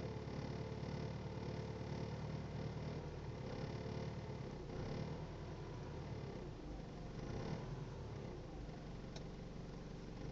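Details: Nissan R51M with new 2.5 TD diesel engine idling with a strange low, uneven knock in its rumble, a couple of sharp clicks near the end; cause unknown.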